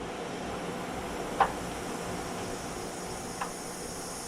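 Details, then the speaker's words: 2003 Lexus GX470 rear air suspension, compressor running to raise the vehicle: faint steady hiss with light clicks as air leaks from the passenger-side air spring, whose nearly 20-year-old rubber has cracked. "okay as you can hear the compressor running and it's going back up you can see the uh the stop or my pointing right there and there is a leak on the passenger side"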